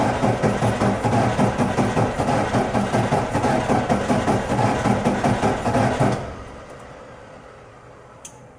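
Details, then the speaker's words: 1996 Ford Ranger 3.0L V6 lacking power, cranked at wide-open throttle; rhythmic starter pulses about 2.5 per second with an uneven beat and a brief pause; low compression in cylinder 4. "para los que ya tienen experiencia se darán cuenta que el sonido del motor no es constante hay un momento en el que hace una pequeña pausa"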